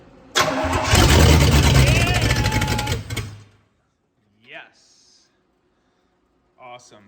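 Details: 1965 Pontiac Catalina V8, first start in about 20 years, on charger plus booster pack after tightening positive battery terminal, extra fuel added, no exhaust fitted: cranks, catches and roars unmuffled about three seconds, then cuts out.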